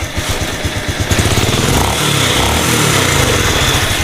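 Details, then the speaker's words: Honda Supra 125 FI after crankshaft bearing replacement, centring and cam chain adjustment: smooth even single-cylinder beat revving cleanly with no bottom-end knock or rattle; normal running, former roughness gone. "Oke mesinnya udah halus ya Lus Lus ya sudah halus padahal enggak ada yang diganti aneh-aneh ya cuman itu bearing bandul"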